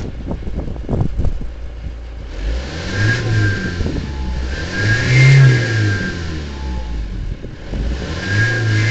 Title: Газ-31105 TDI свист турбины